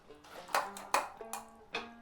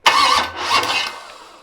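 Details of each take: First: '73 350 Chevy with big cam and fuelie heads, timing just corrected: two short cranking bursts under music, no catch or fire; owner suspects fuel line ran dry or battery, not on charge, is getting dead. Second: '73 Canadian truck 350 Chevy with big cam and fuelie heads, after retarding over-advanced ignition timing: quick, even cranking with no dragging or labouring that dies away without catching; starter turns freely now timing is better.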